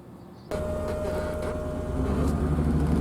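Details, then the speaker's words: 1986 BMW 325e E30 sedan, sat 7 years and wouldn't start: after replacing the wrong main relay it catches first try and settles into a steady even idle, no misses or knocks; runs fine. "It runs, guys, it runs. Here it is, guys, it runs. I made it run in 5 minutes."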